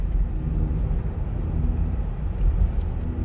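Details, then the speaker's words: Rear-wheel-drive Sorento driving and turning right, where noise and steering-wheel vibration appear: deep steady drone under road rumble, no knocking; worn driver-side hub bearing humming under cornering load. "자, 우측으로 핸들만 감으면 소리가 나요. 우측으로. 자, 우측. 자, 우측으로 감으면 우욱 소리가 나죠. 뭐 거의 이게 핸들도 진동이 옵니다."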